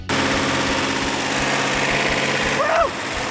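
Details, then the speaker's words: Rebuilt second-generation Hemi V8 run for first time in decades, after slight timing and carburetor adjustment: smooth even idle, no misses or knocks; normal idle. "a little bit of timing on a little bit of carburetor adjustment and running the way it should"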